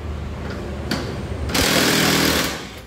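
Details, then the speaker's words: Transmission rough-noise diagnosis, drive spun by hand with the clutch carrier removed: even whir with no grinding, smooth; roughness appears only once the fixed-pulley component with its bearing is added. "Nah, kita coba putar tanpa adanya bagian dari komponen clutch atau kopling ya. Ini kita putar. Nah, suara halus ya, ini halus."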